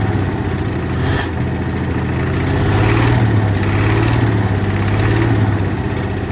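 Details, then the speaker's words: 1968 Ford F100 with 240 inline-six, first start after sitting at least 20 years, no water pump or fan, hand-fed fuel: uneven idle with quick clattering tick about four per second rising with revs; owner suspects weak lifters or dry valve train. "It started. Definitely noisy. So it hasn't run in a long time. But it's alive."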